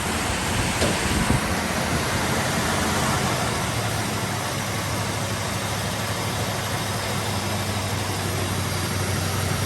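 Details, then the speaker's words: 1968 Dodge Monaco 500 with a rebuilt 440 Magnum V8, first start in 36 years, warm after 20 minutes of break-in at 2000 rpm with 27° timing: steady and even, with no knocks, misses or ticks. Healthy. "so we're just finishing up the break-in process right now it's been running for about 20 minutes at 2000 rpm the temperatures come up and we've got about 27 degrees of timing"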